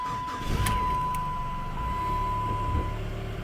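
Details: Chrysler PT Cruiser after replacement PCM installed, VIN updated and key codes transferred, fixing no-crank no-start: engine starts and settles to even low idle with constant chime; check engine light from unplugged intake air temp sensor.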